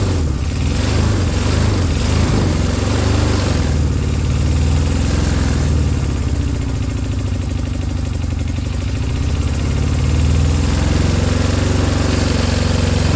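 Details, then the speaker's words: Honda CB200 twin: lumpy, uneven idle with occasional blips, firing not settling; owner suspects the carbs need a good clean. "what did you think it sound bad sounds like the carbs need a good clean I think"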